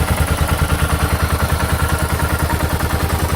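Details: 2006 Suzuki S40 Boulevard (LS650 Savage) 650cc single at just under 4,000 miles, idling: sharp regular knock on every firing pulse, a few per second; engine knock attributed to piston slap.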